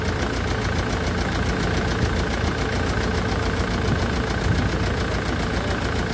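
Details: Land Rover Defender Puma 2.4 TDCi diesel after rebuild (new wiring loom and oil pump), idling in cold weather; a steady, even clatter with no misses, knocks or surging, running normally.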